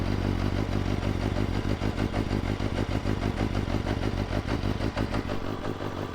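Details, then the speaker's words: 2020 BMW S1000RR (K67), cold start on a 45°F December day, possibly low battery: fast, even inline-four idle with steady mechanical clatter, holding speed. Normal idle, though a coil failure showed up again soon after riding off. "yeah this thing sounds okay so we're good"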